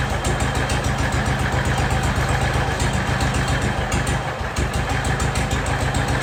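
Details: Jacobsen Chief 1200 tractor, cast-iron Kohler 301 single with a Chinese carburetor, after sitting 3 years: an even thump at about four beats a second with one brief dip, then settling, no smoke; normal idle.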